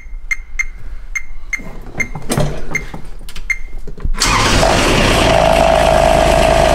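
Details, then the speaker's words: First-year Kubota RTV900 with a 3-cylinder diesel, just after alternator installation: relay clicks and glow plugs, then it fires and settles into an even, steady idle. No whine or rattle, and the alternator is charging. "now running and the alternator is working and it's charging no noise"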